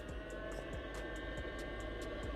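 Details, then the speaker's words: Diesel heater fitted in a VW T4 van, fan speeding up into a steady whirr with soft regular ticking during the shutdown cycle; normal operation, fuel pump barely audible. "that's just got a little bit more excitable."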